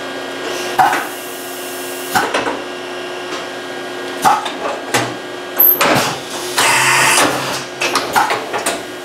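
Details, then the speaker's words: Excel CNC mill tool changer after its leaking air cylinder was replaced. A crisp sequence of clunks with short, clean air bursts and no drawn-out hissing between strokes. The tool change cycles efficiently, though a slight hiss remains in one line. "that was a good efficient tool change okay there ran through the entire block okay I'm gonna call that fixed"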